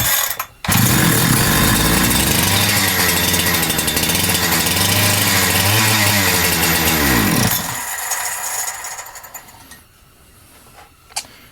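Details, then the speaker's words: Holzfforma G372XP chainsaw, started on choke and decompression with fuel dribbled into the intake: snarls with wandering revs, then sags and cuts out after about seven seconds. Running lean; fuel problem suspected. "yeah it's definitely on the lean side"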